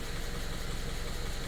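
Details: Subaru FB engine, after a no-oil-pressure fault: paper towel likely clogged the oil pickup, aluminium shavings; after clearing, quick, even pulses at a steady idle with no knocking, running an hour and revved.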